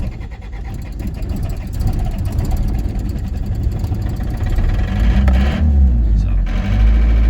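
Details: 1981 Isuzu Pup C223 diesel after sitting 4 hours, glow relay cycled and held: slow, labored cranking about four turns a second before catching and rumbling up with smoke; hard start, air bubbles later seen from filter to injection pump.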